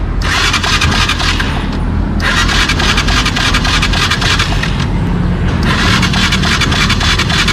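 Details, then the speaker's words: Motorcycle that won't start, spark plug swapped and spark tested: starter cranks in repeated bursts but the engine never fires; spark is weak, and a bystander suspects the stator needs replacing. "Wala. Mahina oh. Mahina. >> Alam mo ang mangyayari rito stator mo na papalitan."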